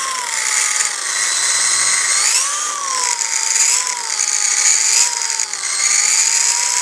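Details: DRB RC car drivetrain: high-pitched whine that climbs and drops with motor speed, with a gritty edge. Noisy spur and pinion gear mesh.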